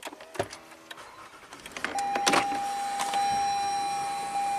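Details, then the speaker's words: 2013 Lexus ES350, 185k miles, U660E automatic with transmission pressure codes; started in reverse, it moves briefly then loses all gears. A clear steady whine at one pitch is the transmission pump starving for fluid, from low fluid level or a plugged filter. "That pump is starving for fluid. So what are the possible causes of a pump starving for fluid? Either low fluid level or a plugged up filter."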